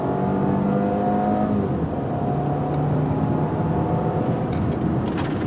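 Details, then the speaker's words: 2009 Audi A4 2.0T turbo four, fully warmed up, just after a spark plug change, hard acceleration: smooth steady rising pull with road noise, no misfire or stumble; feels a little quicker up top, normal acceleration. "Wow, the car actually feels a little better. It might just be me thinking, but yeah, I want to say the car feels a little quicker up top."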